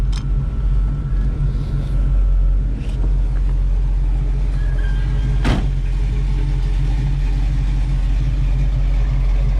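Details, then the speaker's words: 1948 Chevrolet Stylemaster V8, automatic, dual Flowmaster exhaust, idling with AC compressor running: deep steady rumble with slight lope from a mild cam; exhaust leak audible on one side, motor otherwise quiet. "Slight cam, pretty good sounding exhaust."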